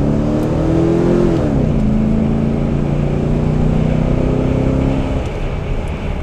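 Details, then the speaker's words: 2002 Cadillac Escalade with rebuilt LQ9 6.0 LS V8 during break-in, conservative timing tune: the note climbs cleanly and settles into smooth steady running with no misfire or knock, making nice power; an earlier fuel pump wiring issue was fixed by redoing splices. "you got to hear that merge it sounds pretty good makes nice power"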